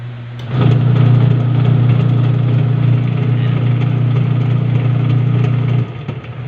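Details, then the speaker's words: Washing machine after the gearbox was replaced and the pulsator refitted: steady smooth low motor hum with no grinding or knocking; now quiet and spinning strongly. "tinesting na natin yung ginawa natin at Ayan tahimik na siya Tapos malakas na rin siyang umikot"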